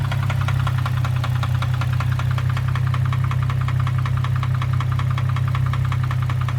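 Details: 2003 Infiniti G35 sedan: a loud, hard knock about four times a second, steady over the idle. The source is unknown, and the owner is considering an engine swap.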